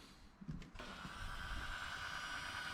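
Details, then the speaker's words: 2019 Vauxhall Vivaro 1.6, intermittent no-start with delayed dash lights and no crank response; ignition on gives a quiet click and steady electric pump whir, but no throttle actuator or injector ticking from the engine. "there's a couple of pumps and some stuff running there, but there's not really any response from the engine. You would normally hear the throttle valve actuator, injectors ticking, uh, you know, some activity for the engine with the uh, ignition on the on position."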